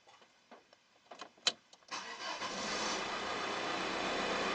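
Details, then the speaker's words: Audi A6 after replacing brake fluid reservoir and/or level sensor: a few clicks, then the engine cranks, catches and settles into steady idle with no warning chime afterward. "Perfect. At the moment, it doesn't protest. It doesn't protest. And it doesn't protest."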